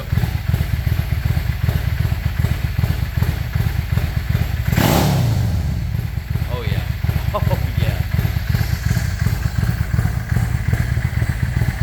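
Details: Yamaha 650 V-Star V-twin with KJS single carburetor replacement, idle knob adjusted: even low thumping beat with one quick throttle blip settling straight back; idles cleanly without choke.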